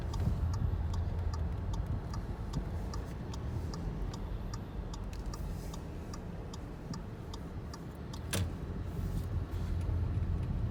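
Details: Audi A3 8V 1.4 TFSI: quick, fairly regular creaking ticks, about three or four a second, over low vehicle rumble from the front suspension. Front suspension creak.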